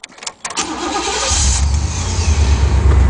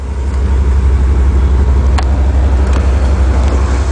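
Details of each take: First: 1991 Chevy Caprice station wagon nine-seater, one owner, 91,000 miles: brief crank, then catches and settles into a steady rumbling idle, starts right up; exhaust a little loud, may need a muffler. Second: Chevy Caprice nine-passenger station wagon, one owner, 91,000 miles: a deep, steady rumble at idle, louder than stock. The exhaust likely needs a muffler at some point; the motor itself sounds quiet.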